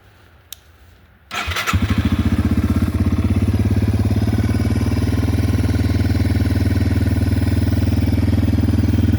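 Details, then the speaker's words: Yamaha TW200 just after valve, carb screw and clutch adjustment at a shop: starts on first try, then steady, even single-cylinder thump about three beats a second, no knocks; normal start and idle, running better than when bought. "this bike is now running better than it did when I first bought it. It is purring like a kitten"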